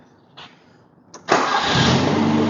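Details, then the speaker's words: Toyota Corolla KE20, sitting since the early 1990s, with radiator refitted, air cleaner on, distributor timed and new ignition coil: two short cranks, then it catches into a steady, even idle; throttle slightly sticky. Normal start and idle. "she's running perfect. Throttle's a little bit sticky, but sounds good too, I reckon."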